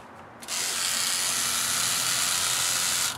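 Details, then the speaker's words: Drozd BlackBird powered at 21 volts from a DeWalt power-tool pack, heading for 2,000 RPM: motor snaps straight to speed into a strong steady high-pitched buzz. "You can just hear that power when you start it up at 21."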